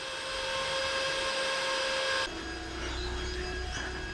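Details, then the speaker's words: Bitcoin miner at about 600-650 watts, fans ramping with temperature, around 77 decibels: loud high fan whine drops abruptly to a quieter lower hum as it cools; normal fan speed change. "And you can hear the fans going nuts. They're ramping up and down depending on the temperature. See, now it goes down."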